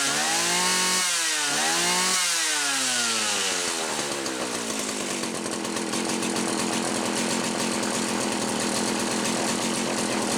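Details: Homelite 360 chainsaw on a bench test after fixing a misaligned carburetor (intake) bushing that caused inconsistent running, carburetor at about 1¼ turns: sharp revs, then a steady, high, even scream with no bogging. It now runs properly.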